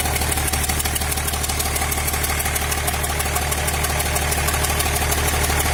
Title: engine knocking. injector 6th replacement did not help